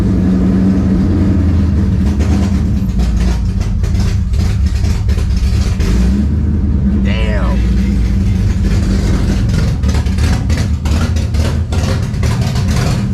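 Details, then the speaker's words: Ford Mustang idles deep and lumpy with uneven crackly pulses but no sharp metallic rap. It sounds like knock, but a mechanic said it is not knocking; the cause is the fuel and the tune, with the tank now mostly 93 octane after the car had been on E85. "it sounds like it's knocking but my mechanic came and he said that um the car is not knocking it's because of the the fuel as well as the tune in the car"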